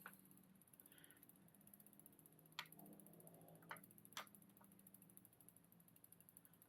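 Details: Bicycle rear derailleur after adjustment: soft, even drivetrain ticking with no jumping or chain skipping while walking through the gears, creeping stopped, so rear shifting is now clean.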